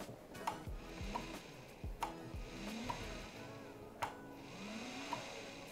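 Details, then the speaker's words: 55-pound-thrust trolling motor, foot pedal at full pressure, pre-season check: low electric hum swelling as pedal goes down, smooth and even under splashes; turns better left than right, running perfectly fine. Normal running. "Working perfectly. Left, right. Always seems to turn better left than it does right. It's running perfectly fine."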